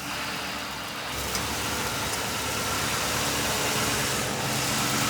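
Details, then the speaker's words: 2005 Ford Crown Victoria Police Interceptor V8, 150,819 miles, suspected bad fuel pump, running on fuel poured into the intake: even, steady idle with no knocks or whines; AC compressor engages then quickly disengages, probably low on Freon. "Okay, AC compressor engaged. Yeah, it engages and quickly disengages. Probably low on Freon. Engine sounds good."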